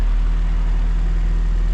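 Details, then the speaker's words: Turbocharged wagon at idle after thermostat, coolant and ECU reinstalled; steady smooth low rumble, earlier weird bearing-like whirring at idle gone, engine healthy. "that's awesome normally you would hear that noise on idle we don't hear it anymore"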